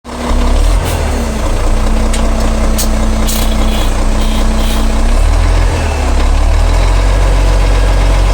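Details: Abnormal transmission noise at idle: a loud, deep, rough drone with an uneven low throb over a steady tone; cause unknown.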